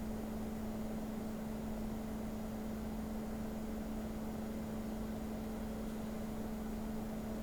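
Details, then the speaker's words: Opus BT-C3100 v2.2 Li-ion charger on a discharge test at 1 A with its stock cooling fan: a constant loud hum with a low whine and airy rush, the noisiest of the cooling setups compared. The system overheated and cut the load. "на першому місці у нас опуск такий надокучливий шум він Дуже заважає спати"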